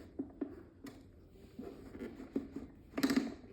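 Sharp, irregular plastic clicks as the fan head is tilted, with no motor hum underneath.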